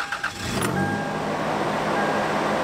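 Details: High idle on a 1996 Toyota 4Runner 3.4L 5VZ-FE petrol V6: steady but fast idle, commonly caused by a clogged, dirty idle air control valve under the throttle body.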